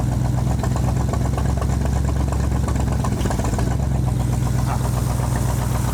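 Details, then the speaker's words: 1965 Ford Mustang, 289 2V V8, after 30 years in a junkyard, float adjustment just fixed flooding, about 57 lb oil pressure: steady lumpy idle with slight unevenness; vacuum leak suspected, not confirmed; rough idle. "like we got a vacuum leak somewhere, but we're idling, so that's good."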